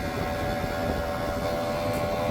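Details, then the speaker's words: Mercedes W221 S550 4Matic climate blower motor that intermittently blew no air, after cleaning and greasing; at full fan speed a droning hum with a rough high whir. Owner dislikes the sound and wonders if the grease caused it; cause unclear. "that is not a good sound. It's gone. I wonder if that's because of the grease or what. But I do not like the sound of that."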